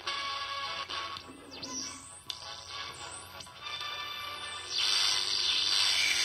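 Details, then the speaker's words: 1970s Emperor AIE-641 single-battery transistor radio, previously very quiet; after replacing an open-circuit coupling capacitor at the power amplifier's audio input stage, clean music plays from the speaker without crackle, hum or dropouts, fed by a local AM transmitter: normal audio output. "When that capacitor is open circuit, audio cannot pass to the final stages. Therefore, no or little audio can be amplified. Let's test it Now we have audio"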